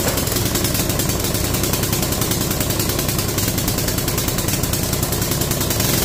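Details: Free mini bike, small single-cylinder engine, running after draining water from the carb float bowl, throttle not working: steady even pulse with no misses, idling cleanly.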